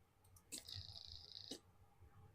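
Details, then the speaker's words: Model railway Y point changing: two sharp clicks about a second apart, the polarity relay changes and the frog relay switches off, then switches back on when the point finishes; normal operation. "if you hear that, there's 2 clicks. Now to start with, the polarity relay changes and the frog relay switches off. And when it finishes, it switches back on again."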